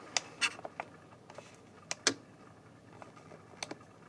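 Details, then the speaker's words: Air Med Deluxe 8000 massage chair switched on: sharp little relay clicks when buttons are pushed but no functions start except back vibrate; transformer found bad. "Can you hear it click when it goes on? There's these little clicks that are going on."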